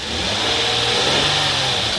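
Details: Hyundai Genesis after replacing throttle body for P0638 code (weak acceleration, rough idle); engine picks up cleanly and holds strong even rev without stumble or hesitation; normal revving.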